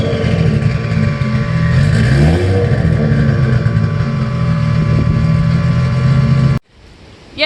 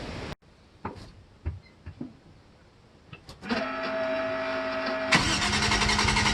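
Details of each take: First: Toyota MX83 Cressida 1G-GTE turbo drift car, 3-inch stainless pipe turbo-back to before diff, no muffler: deep raw booming drone swelling hard with each throttle blip; far too loud, muffler to be fitted. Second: Toyota Cressida MX83 drift car with a 1GGTE turbo engine, just after fitting a welded 4-inch stainless muffler with perforated tubing. The starter cranks briefly, the engine catches, then revs with a clean, deep, steady exhaust note. The exhaust sounds healthy and leak-free.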